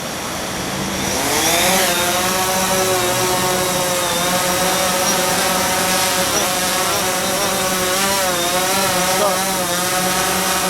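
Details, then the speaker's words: DJI Phantom 4 drone started by pulling both controller sticks diagonally, for a pre-takeoff check: motors spin up to a steady, even buzz that settles and holds. Normal, healthy motor run. "이렇게 당겨주고, 시동이 걸렸죠? 한번 떠기 전 이륙해가지고 비행하기 전에 기체의 상태를 테스트 한번 해보겠습니다."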